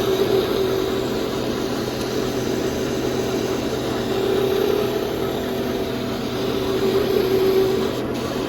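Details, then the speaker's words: Porsche Cayenne / VW Touareg (2011+), on a lift with wheels turning: steady droning rumble with faint wavering growl from vehicle center, heard above 27 km/h; driveshaft center support bearing (7P0598101) confirmed bad with screwdriver stethoscope, to be replaced. "I can really hear it with my screwdriver might really here where's the speaker so confirmed this bearing in here is bad"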